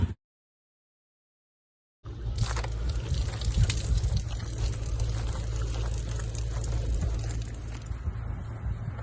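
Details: Polaris Outlaw 110 EFI quad after the stuck starter brushes were freed and the starter reassembled: after a couple of seconds of silence, a low, steady rumble settles into an even idle; the engine now starts and runs normally.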